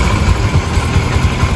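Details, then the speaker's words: Yamaha Factor single-cylinder motorcycle, formerly very noisy, after the work: a soft, even low idle thump with no top-end clatter, a healthy quiet idle. "Ó o barulhinho do motor aí, pessoal. Ó o barulhinho aí. Sereninha."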